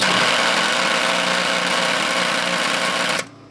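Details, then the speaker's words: Quincy 325 compressor setup, old size 4 three-phase motor starter rated 100 hp at 460 V: loud harsh steady buzz with rattling edge cutting off abruptly; a damaged lamination makes it vibrate and buzz, so it was replaced with a single-phase starter. "It was replaced because it just kind of, one of the laminates is shot in it, and it vibrates, or I should say it buzzes really bad."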